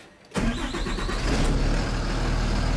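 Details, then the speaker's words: 2007 Blue Bird school bus with a Cummins engine, after a defective starter relay was replaced to cure a no-crank, no-start: a brief crank, then an immediate catch into a steady, even diesel idle with no stumble. Normal start and idle. "right there, as you can now see, the bus runs, the engine runs good, so this is fixed."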